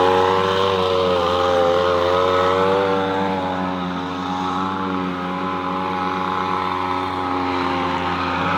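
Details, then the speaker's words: Echo PB-250LN handheld two-stroke leaf blower after fuel line repair, owner questions whether it blows strongly enough: smooth, steady high buzz, even pitch, no surging or stumbling; needs about a minute to warm, then runs well. "now I never saw it running before I repaired it but I know what's running now it takes that first minute to to get warmed up and then it runs pretty good"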